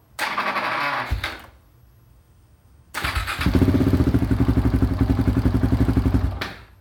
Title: KTM 690 hard start